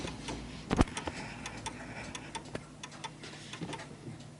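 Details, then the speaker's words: Vintage British Bentima/Perivale Art Deco 8-day mantel clock ticking quietly and unevenly, with lopsided tick-tock spacing, because it sits on an uneven surface and is out of beat; it ticks more than it tocks and eventually stops. "so as you can hear so it's ticking more than it's talking and the reason why it's doing that is because it's uneven and it will come to a stop hopefully for this"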